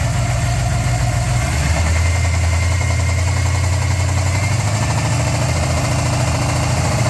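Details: 400 V8 in a Z28 at idle: deep, even rumble with a dull rhythmic knock in the low end; rod knock suspected, unconfirmed.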